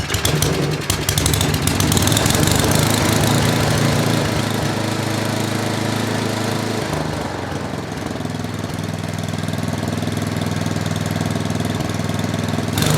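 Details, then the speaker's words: Old Tecumseh 8–10 hp single-cylinder snowblower engine after carburetor rebuild and cleaning, primed and choked: brief stumble at start (possibly water) then steady, even beat with no knocks; runs well. "This thing runs really good. This is another one of, it was one I did the other day or a week ago that was a 5 horsepower and it ran beautiful. This thing runs beautiful."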